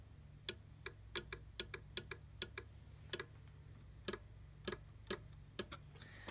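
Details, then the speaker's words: Vintage CB radio keyed for transmit test: crisp relay clicks, often in quick pairs, over a low steady hum. "uh oh it's clicking a relay there's a relay listen for the clicking"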